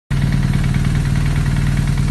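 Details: 2009 BMW R1200R boxer at idle: fast, even rattle in the gearbox that stops with the clutch pulled in and returns when released; clutch damper suspected failed, gearbox repair with a newly made damper.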